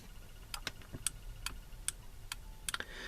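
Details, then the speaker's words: Nerf Rapidstrike blaster during troubleshooting; the pusher control switch clicks irregularly, two or three sharp clicks a second, and stops when pushed down. "know if that sound is coming through of the pusher control switch clicking. And you see I push it down and it stops clicking."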